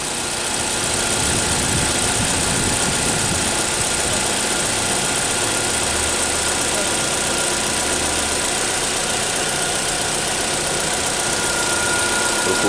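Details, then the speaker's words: GM Cruze with high fuel consumption and a knocking noise near the fuel tank under the rear seats: uneven, lumpy idle with irregular stumble, engine shaking; misfire. "hoje nossa oficina é GM Cruze reto do cliente veículo falhando tá balançando o motor e barulho lá atrás do carro"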